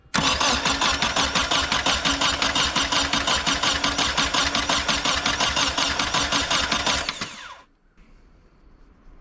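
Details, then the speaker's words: Nissan 240SX with new plug wires and starter, ripped piece on passenger side (air leak): starter cranks steadily about three turns a second for seven seconds and never fires; owner suspects no fuel; crank-no-start. "I still don't think it's getting fuel, but we can try to hook it up and just see."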